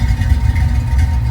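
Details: 1966 Mustang after installing a Spectra fuel-injection tank with an in-tank pump, first start: deep, steady idle with an even low rumble and no pump whine or buzz; the pump is inaudible, engine idling normally.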